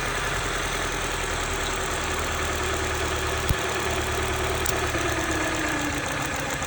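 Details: 1995 Honda Civic, D16Z6 1.6 L inline-4 with a bad misfire, idling with another injector unplugged; steady idle turns noticeably lumpy, performance changed a lot, so that cylinder is healthy; a leaky injector was later found.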